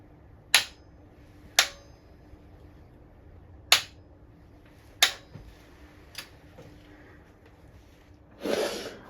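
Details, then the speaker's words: Sunbeam Alpine cylinder head bolt number one, backed off one flat and retightened with a homemade Churchill RG225-style tool, rockers left fitted: torque wrench set to 45 ft-lb gives sharp, separate clicks at set torque. "now we have the torque wrench set to 45t lb and the special tool that we've made fitted on bolt number one to retighten"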